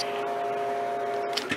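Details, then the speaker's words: Vending machine compressor plugged directly into the wall via extension cord, bypassing the machine, to test it: steady, even hum at constant pitch with no knocking or rattle; compressor works normally. "compressor works fine so come back here plug it back in"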